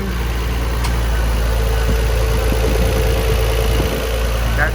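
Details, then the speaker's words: 1999 Nissan Skyline R34 GT-R at idle: low steady idle with faint, uneven light tapping on top, cause unclear; possibly another fan kicking on, thought normal and maybe exaggerated on camera. No odd popping or idling issues otherwise. "I don't know what that tapping is I mean it's like it's another other fan kicked on I mean that tapping I think is normal but it may sound worse on camera it usually does"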